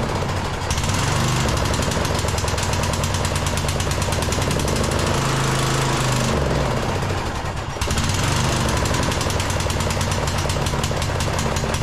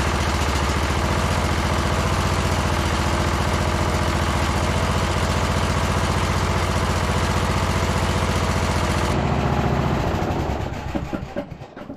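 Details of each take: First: Briggs engine on a Troy-Bilt Bronco lawn tractor in snow and cold, after muffler fix and new spark plug: rapid, fairly even chug that sags briefly and runs only on choke; suggests clogged carburetor. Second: Briggs & Stratton engine on Troy-Bilt Bronco lawn tractor after second carburetor cleaning: even, steady low single-cylinder idle with idle screw all the way out, no hunting or misses, full rpm fine, then clean shutdown; valves need no work.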